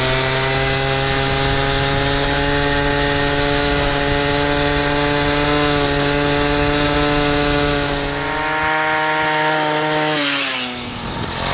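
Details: Piaggio Ciao moped, otherwise stock, with Polini Evolution, 75cc Pinasco cylinder and 19mm carburettor, on a test ride: the two-stroke holds a high flat scream at full throttle, then the revs fall away; the drive belt is slipping.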